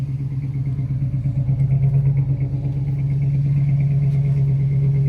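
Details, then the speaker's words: 1968 Ford Country Sedan, V8 of unknown size (360 or 390), just revived after its first start. Ignition not yet timed, plugs ungapped, one possibly gapped too small. Even, steady burble with no knocks or ticks; a nice consistent idle: normal idle. "sounds pretty good nice consistent idle good oh yeah she is in all her glory wooo"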